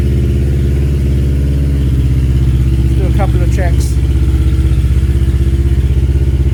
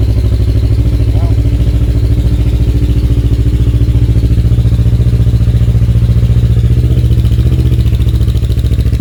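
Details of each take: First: Kawasaki KLE 650 A7 auction bike idling in neutral before a short test ride: very loud, deep, blatting idle with an even pulse around four a second; the exhaust is missing its baffle and needs one fitted. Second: Kawasaki KLE 650 A7 twin, 30,000 miles, auction bike, in neutral: strong even low thrum at steady idle, no stumbling or clatter; running cleanly, exhaust very loud lacking its baffle.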